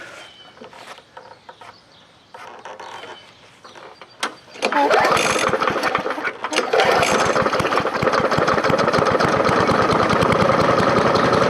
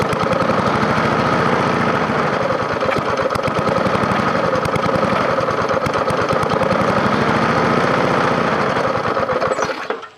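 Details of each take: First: Free scrapyard push mower with a 4.5 hp engine, after the carburetor was refitted: catches on the pull and settles into a steady, even idle; runs properly. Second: Free scrapyard push mower with a 4.5 hp engine, first start after adding gas: rough chug swelling and sagging, then stalling, needing priming to keep running; owner plans to pull and clean the carburetor.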